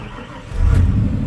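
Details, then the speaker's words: 1993 Ford F-150 5.0 302 with C6, fully warmed up after replacing the water temperature sensor for rough idle and hard starting when hot; a brief crank and the V8 fires straight away into a smooth low rumble. "Oh yeah, starts right back up."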